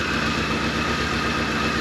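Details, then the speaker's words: 1983 Ford Thunderbird Turbo Coupe, 2.3 L turbo, first run after 20 years sitting. Idle stumbles with an uneven, skipping beat; a dead cylinder misfiring. "it is freaking off today this one's not too happy it usually almost might be missing a little bit that one's not hitting"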